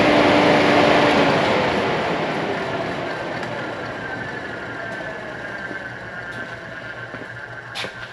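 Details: Diesel on its first start after finishing compound turbo plumbing and upgrading the valve springs. It runs with a sharp, even puffing tick about four per second over the rumble: an exhaust manifold leak at the middle cylinders.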